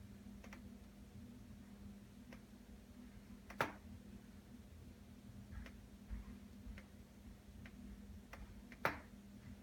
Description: My skylight makes popping or cracking sounds, typically during the day when it's warm. It's pretty annoying.